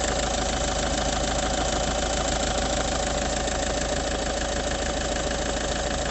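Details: Idling engine with a loose, fairly regular rattle about three times a second; it changes when the clutch is pressed, also rattles under steady light throttle and gets loud while driving; source not pinned down.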